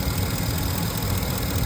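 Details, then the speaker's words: 2015 Ford F-250 (6.4L in title), no fault codes but misfire-like stumble and power loss on hills: light irregular clicking over steady idle from the electronic throttle body, suspected worn internal gears; replaced with a new unit. "No sé si pueden escuchar ese clip. Ese clip que se escucha ahí. Lo que yo pienso es que este cuerpo electrónico está tratando de regular lo que es la entrada de aire combustible."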